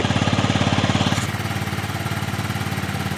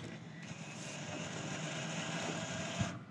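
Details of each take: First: 2007 Yamaha C3 XF50 scooter after installing a replacement fuel tank and flushing the fuel line, left running to try charging a doubtful battery, oil change still due: steady, even putt-putt at about 3.5 beats a second, no misses; normal idle. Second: Fuel-injected 2007 Yamaha C3 XF50 scooter after installing a replacement fuel tank, on jump charge: the fuel pump gives a short rising whir with a gurgly, uneven edge as it primes, drawing air in the line.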